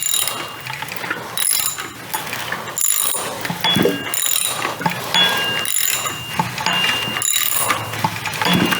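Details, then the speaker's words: Rebuilt BMW 135i N54 engine turned slowly by hand, microphone close to the actuator: ratchet clicks with light metallic pings and ringing, a dinging noise whose source was not yet found; valvetrain suspected, cause unclear. "So, where we left off last time, there's a dinging noise and I couldn't figure out where it was. Now, I'm going to spin the motor over by hand, but when you spin it over, I'm going to put the microphone close to the actuator."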